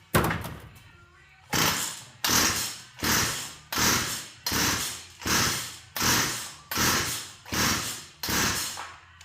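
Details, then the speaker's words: Curb-pickup Poulan Wild Thing chainsaw: about ten rope pulls roughly a second apart, each spinning down with no firing. It has spark and lots of compression, and the air filter is missing. Carb cleaner didn't help; the owner suspects it isn't pulling fuel. "Okay, doesn't want to run, does have spark, carb cleaner didn't do it."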